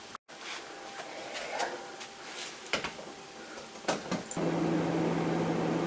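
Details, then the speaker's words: Refrigerator that had stopped cooling (about 64°F inside) with a clicking compressor; after replacing start relay and overload, a few handling knocks, then the compressor starts and runs with a steady, even low hum, apparently fixed. "it looks and sounds like I fixed it all right we're going to wait a while and see if it cools down at all"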